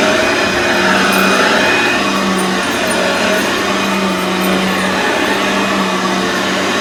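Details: Aeros upright vacuum cleaner model U162C, first test after unboxing: even, steady motor hum with constant low tone and airy rush, no rattles or surging; running normally.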